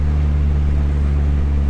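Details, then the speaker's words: Dodge SRT4 turbo with new Vibrant Ultra Quiet resonator, cruising around 2,000 rpm, internal mic inside cabin: steady deep exhaust hum, loud but no booming drone or rattle, exhaust barely audible; healthy. "because inside the car it just sounds not drony but loud. 2,000 RPMs right now, a little more. It's not bad. You can you can barely hear the exhaust."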